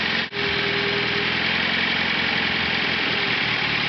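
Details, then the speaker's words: Engine running on gasoline vapor from the float bowl alone, with no carburetor fuel and the HHO shut off: RPM picks up and it holds a steady, even idle with no stumble. "you hear the engine RPM actually pick up that's right now we're running on the on the vapor from the float from the float pole alone"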